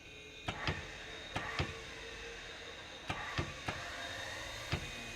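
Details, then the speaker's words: Turbo Twin Piper Comanche that sat for years, right engine start attempt: the starter motor whirs freely with a few sharp clicks and no cranking rhythm, because the right starter's Bendix drive isn't coming out to engage. "So if you guys hear that, the Bendix isn't coming out on that right engine at all. So the right Bendix isn't coming out."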